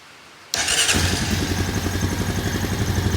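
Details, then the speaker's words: 2001 Honda Foreman ES 450 ATV after sitting a while, low on gas, air filter trashed: fires at once into a quick steady single-cylinder thump with no misses; healthy start and idle. "Well, it sounds good. Definitely got to get some more gas in it so that I can run it a little bit."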